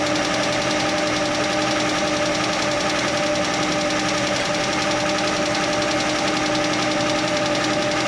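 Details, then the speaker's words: Chevrolet Nova straight-six idling with the valve cover off; a light, quick tick rides over the idle from one loose rocker arm. Found by stethoscope on each stud and tightened while running, after which it went quiet. "I put the stethoscope on each stud, and that one I felt like it was ticking, like the other ones weren't, and I tightened it up"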